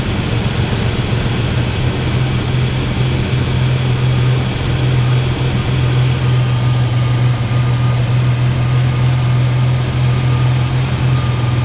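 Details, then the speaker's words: 1998 Ford Ranger 3.0 with unknown swapped engine, after a fix for high idle: low steady idle hum with slight unevenness; idle still a little rough but liveable. "still seems like the idle's just a little bit rough but it's it's uh liveable you know this just going to be a farm truck anyway"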